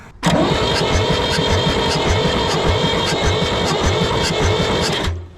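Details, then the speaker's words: 1960s Ford diesel tractor sat in a barn about 20 years, cranking with injector lines cracked loose to check fuel: steady even starter churning, never fires; owner suspects seized injection pump plungers from moisture; weird vibration after long cranking. "we got nothing I'm starting to get a weird vibration too after it was cranking a while"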